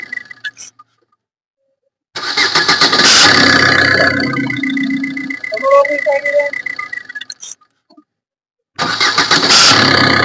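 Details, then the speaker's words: Maruti Suzuki Ritz diesel, bonnet open, started and revved: faint quick creaking chirp on start that sometimes sounds clearly on revving, then goes away. Alternator clutch pulley creak. "അപ്പൊ നമ്മളിപ്പോ കേട്ട ഒരു Crick Crick Crick എന്നുള്ള ആ ഒരു sound നമ്മളിപ്പോ കേട്ട് കാണും വണ്ടി സ്റ്റാർട്ട് ചെയ്യുന്ന സമയത്ത് ആ ഒരു സൗണ്ട് കേൾക്കാം പിന്നെ ഒന്ന് റൈസ് ചെയ്യുമ്പോൾ ഇടയ്ക്ക് നല്ല രീതിയിൽ സൗണ്ട് ഉണ്ട്"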